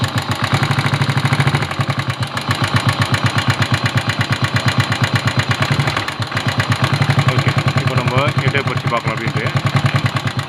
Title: Engine Noise Problem in Tamil